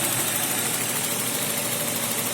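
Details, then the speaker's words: BMW M52 2.0 petrol engine idling smoothly and evenly after spark plug replacement; the earlier knock is gone, with no extraneous noises. "вот поменяли свечи и все ровно нет никаких посторонних звуков"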